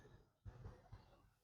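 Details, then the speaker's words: Old Stranger PBT-1500 amplifier with a shorting fault, output transistors checked with a multimeter in continuity mode: quiet probe taps, then a steady high beep across base, emitter and collector leads. "सबसे पहले, यह base है, देखिए, ध्वनि base में आ रही है, और यह यहां एमिटर में भी आ रही है।"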